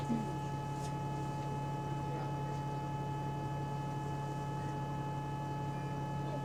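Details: Inside GAL bus EN39 on route 89: steady low hum with a thin high tone, unchanged, in the cabin; source unknown, maybe battery, electronics or A/C.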